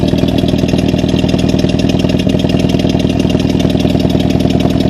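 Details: Toyota Celica ST202 petrol engine idling with a slightly uneven, chuffing beat, the stumble of a misfire.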